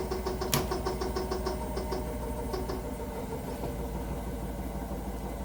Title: can anyone tell me why this Hotpoint Nswr making a weird noise